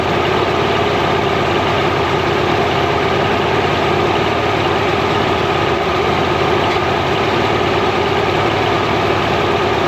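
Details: Mercury inline-6 outboard, timing marks missing, warming up in water: steady drone with uneven lumpy beat at idle; intermittent weak spark on #3 cylinder; coil later swapped.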